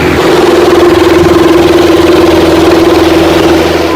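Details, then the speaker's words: Pedestal fan running with a loud, steady mid-pitched drone and a rough, wavering buzz that never settles; worn front motor bearing with play. "जैसा कि special phone में आवाज हो रही है और आज के इस वीडियो में हम पेडेस्टल फैन के आवाज को सही करने का तरीका पर डिस्कस करेंगे"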